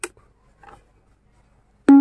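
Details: Bluetooth speaker after repair, faulty power switch fixed: a couple of faint clicks, then a clear, steady power-on tone with no crackle or cutting out, unlike before.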